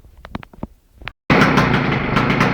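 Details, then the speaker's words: Victa small engine being modified for kart use, start-up after fueling: a few clicks, then it fires and holds a loud, steady, raspy roar at high revs; running normally, very loud. "you can hear, I've got it going, and it's freaking loud."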